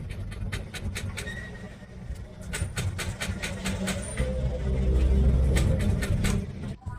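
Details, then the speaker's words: Yamaha NMAX 2020 crank no-start: starter spins steadily at about three beats a second but engine never fires; spark plug checked and fine, fault traced to the fuel pump system. "หัวเทียนไม่ได้มีปัญหานะครับก็เป็นระบบปั๊มติ๊กนะครับ"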